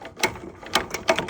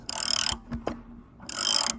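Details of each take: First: Subaru pressure washer engine with pump, bought non-running: three bursts of recoil ratchet clicking, crankshaft won't turn; engine stuck, owner hopes rust is holding the pull starter. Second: Subaru pressure washer engine with pump attached, long unused and previously wouldn't pull: turned by hand in running direction, slightly stiff, four airy whooshes about a second apart; turns freely with normal compression, ruling out stuck piston/rings or broken rod.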